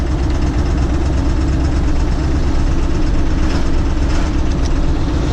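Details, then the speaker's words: Bone-stock Ford Super Duty with 277,000 miles, driving after codes were cleared while losing oil pressure and missing: a heavy, uneven low rumble with no steady rhythm, then it cuts out; the rough-running engine stalls. "It misses now. It's gonna die."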